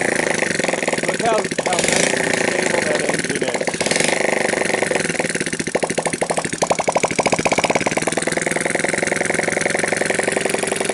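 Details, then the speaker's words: Sunl 110cc ATV engine, previously very hard to start, cold start after intake manifold leak fix, run on jump pack and portable CDI with gas poured in: catches almost at once and settles into steady even single-cylinder idle; healthy. "I just touch that and it fires right up so let's see how we do"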